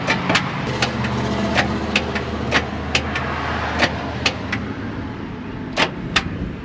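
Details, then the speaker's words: 1956 Chrysler Windsor wagon, 354 Hemi, arrived not running, solenoid jumped: scattered sharp clicks over a low strained hum as the crank barely turns, cables warming; starter dragging, old commutator pads found far gone. "and am I seeing any rotation in the crank there it goes almost it tried to turn that was kind of cool yeah it is turning a little bit"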